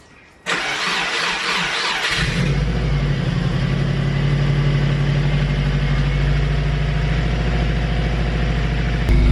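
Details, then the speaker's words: Subaru Impreza GC8 turbo after fixing boost fluctuation (wrong actuator end, needed 8 mm) and resealing a leaking gasket: starts right away, high cold idle flare, choke off, settles to steady even purr; normal idle. "Right, so the choke has turned off and it is purring nicely. The revs are coming back to normal, mashallah. It is working fine."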